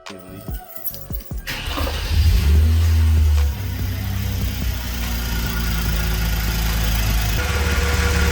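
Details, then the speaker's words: Hyundai Genesis Coupe 3.8L V6 just after catch can install: cranks, fires and settles into a steady, even idle with no vacuum-leak hiss, confirming correct installation. "after starting it up you obviously want to check for vacuum leaks obviously right now you can't hear any because it was done correctly"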